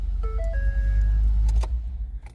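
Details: 2012 Ford F-150 with no power at the ignition: after a connector kicked loose by the passenger-side kick panel was locked back down, short dash chimes ring out over a low rumble, so the ignition circuit has power again.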